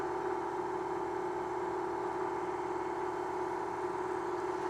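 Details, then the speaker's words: Mill facing pre-hardened D2 steel (about Rockwell C20) with a 3/4 inch solid carbide endmill: steady high singing chatter over the cut; deflection suspected more in the machine than the endmill, not confirmed. "This is a 3/4 inch solid carbide endmill. And still there's deflection. I don't know, probably not the endmill deflecting as much as the whole rest of the machine."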